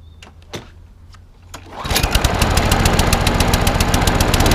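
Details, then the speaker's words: Snapper 21- or 22-inch walk-behind mower after a partial service (fuel leak fixed, drive and gears freed with WD-40): starter pull, then the engine catches and settles into a steady, even run with no knocks or misfires; runs as it should, needs only cosmetic paint. "So that's all up and running as it should be. Just wants a bit of cosmetic stuff."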